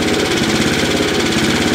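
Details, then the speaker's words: 3-4 year old 5 HP Tecumseh small engine running fast and steady with a faint regular tapping on each firing stroke; owner suspects rod knock from the crankcase, unconfirmed. "I don't know about you but it sounds like it might have a little knock in it I'm not sure though sounds like it's coming from the crank case so"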